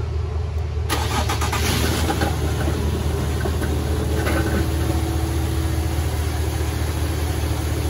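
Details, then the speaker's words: 2015 Infiniti Q50 3.7L V6 just after new NGK spark plugs and an oil change: brief crank, then it catches and holds a smooth, even idle with a steady low hum and no ticks or knocks. "There you go, guys. Brand new NGK spark plugs, brand new oil."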